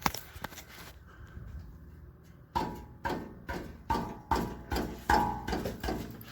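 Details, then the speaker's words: 2012 Chevy Cruze exhaust, muffler tapped: about ten taps, each a hollow metallic ring and buzz; a baffle inside the muffler has broken loose at one end. "there's a baffle inside it's breaking loose it's broken loose on this end but not farther up"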